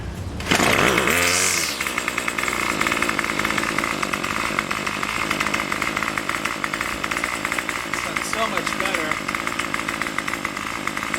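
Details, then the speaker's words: Craftsman Weedwacker gas trimmer 316.791191 after repair (MTD 27cc shortblock, Zama C1U-P27 carb): starts with a little gas and no choke, then holds a steady high buzz with even firing, about 2600–2700 rpm on the tach. Runs good. "so it's got it got it running with no choke so it's started up runs good no choke don't need the choke it's a little bit of gas"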